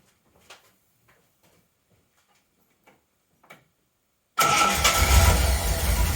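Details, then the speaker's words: 1980 Reliant Scimitar GTE SE6A, which previously cranked but wouldn't start, left standing 10 minutes: quiet, then fires straight away without extra fuel and holds a smooth, even idle; normal, healthy idle. "Yeah, she sounds lovely."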